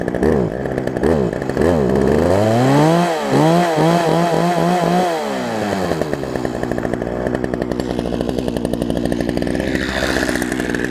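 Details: Poulan Pro 18" two-stroke chainsaw, revived from an equipment lot and running again, cutting a log on a test bed: revs rise and fall smoothly, then a steady strong buzz under load; runs clean and healthy.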